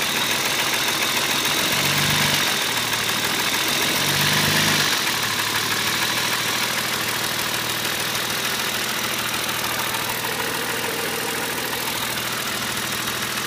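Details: BMW E36 M3 3.0 S50 engine: two short low revs then idle, with fairly steady light tick about three per second, knocking from around the inlet manifold; source undetermined.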